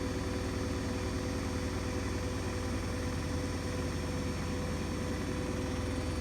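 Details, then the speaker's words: New Hoover DXC C49W3 Dynamic Next washing machine, 9 kg capacity, spinning a half load of light laundry: loud steady roar with a deep throb, nearly 80 dB and peaking at 88 dB on a meter; cause unknown. "that's not on no washing machine should like be nearly 80 DBS"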